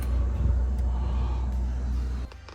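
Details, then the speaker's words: Samsung RF27T5201SR/AA French door refrigerator freezer evaporator fan, switched on via the door-switch magnet during repair after the fan had not been spinning. A smooth, even low hum with no rattle or scraping until it cuts off; running normally. "and now before we do anything else we're going to go ahead and turn on the switch with this magnet there's a switch there where you saw with the where I put the magnet and as you can hear the fan"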